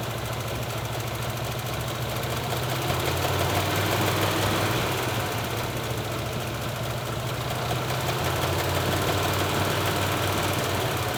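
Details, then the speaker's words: Backfiring V8, warm engine, all eight plug wires connected, baseline run before pulling the number 6 wire: lumpy, uneven idle near 170 beats a minute with occasional stumbles; owner knows cylinder 6 has a problem. "since we know that we have a problem with cylinder number 6, is run the engine as is, everything connected, listen to it, give it a couple of revs, see how she does"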